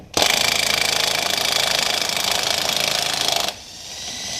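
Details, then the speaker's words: Cordless impact wrench removing a Chevrolet Colorado wheel: fast uneven hammering rattle for about three seconds then cuts off, sounding tired and short of power; struggling under load, low battery suspected. "oo she sounds tired yeah let me swap the battery this shit's on struggle Street struggle Mania re I can hear it sucking in air"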